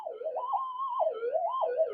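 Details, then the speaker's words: Modified Minelab GPZ-7000 metal detector tested indoors at sensitivity 17, then turned down to 1: wavering, warbling tone that stays loud even at low sensitivity. Electrical interference noise. "so it'd be impossible to try and do anything with that amount of noise"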